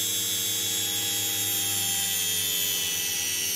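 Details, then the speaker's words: Small series-wound DC motor regen braking into discharged supercapacitor bank, braking increased: steady high whine with low hum, pitch sagging as heavy braking drags motor down; normal regenerative braking. "there we're on it we're really breaking now you can hear these the better effect that the super capacitors I have them then we can decrease the break-in"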